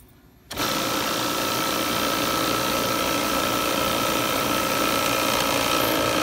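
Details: Refrigerant recovery unit pumping out a Daikin heat recovery unit for an inverter compressor change-out, hoses through manifold on suction line; steady buzzing compressor chatter starts abruptly and holds an even pace with a faint high tone; normal running.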